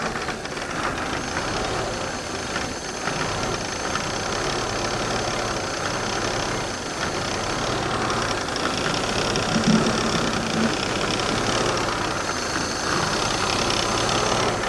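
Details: 1991 Mercedes 300CE rough idle, not yet warmed up and battery possibly low: uneven, stumbling idle with an irregular beat and misses over a steady drone.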